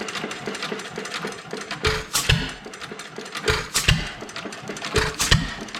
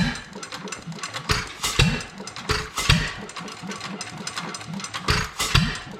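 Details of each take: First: Old Domestic Type F engine with a mud sucker pump, governor spring shortened about a quarter inch, some blow-by at the exhaust valve: sharp firing pops in spaced bursts with coasting between. It runs evenly but too slowly to pump water. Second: Domestic Type F engine with a mud-sucker pump, governor spring shortened about 1/4 inch, blow-by at the exhaust valve, dry hopper: slow, evenly spaced firing chuffs with long coasting gaps. It runs, but too slowly to pump water.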